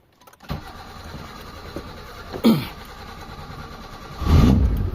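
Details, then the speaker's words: Mitsubishi Lancer "pizza", which bogs when overtaking, started after carburetor cleaning and refitting, before carb and distributor timing adjustment: starter whirs, catches after a couple of tries, then runs at a low, untuned idle. "So yan, mandar na mga bossing. Yan. So mandar na mga boss yung makina natin."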